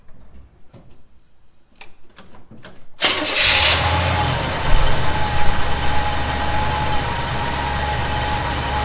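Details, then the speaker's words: 1971 Chevy C10 pickup, cold start after snugging up loose bolts to chase a noise: cranks a few seconds, catches into a strong steady cold idle, "not bad for a cold start," no hiss or whistle heard; normal idle. "got not bad for a cold start"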